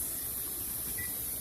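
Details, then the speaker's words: Pressure canner with jars of rabbit meat, before pressurizing: soft steady hiss of steam with light watery spitting, even and unbroken, as it vents for 10 minutes; normal steam venting. "Hi, I'm back, and my pressure canner is binning. If Sean can get a close-up, you can see the condensation and hopefully hear that. And so what I'm going to do now, it is venting."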